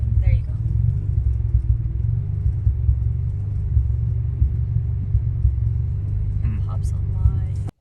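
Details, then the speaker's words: 1991 Nissan 240SX, neglected: after sitting at idle, super rough deep lumpy idle with irregular thumps and pops, revs dropping very low and shaking hard before recovering; repeats on cold start and at stops. Rough idle with misfire. "oh about to say you're pushing super rough idle shaking look how low it gets yeah shaking hard but it like tries to bring itself back to life"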